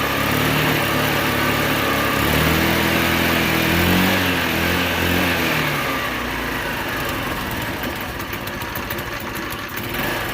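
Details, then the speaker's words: Scooter, cold, with correctly reconnected vacuum line, idle screw just turned up slightly: uneven idle that sags and fades as if about to die; still wants more throttle until warm. "yeah i know you wanna die you gotta warm her up a little bit before she'll be happy"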